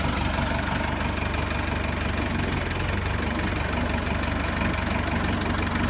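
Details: 1964 Massey Ferguson 65 diesel tractor, high-low selector in S: steady low diesel clatter at idle with even firing and no misses or stumbling; normal idle.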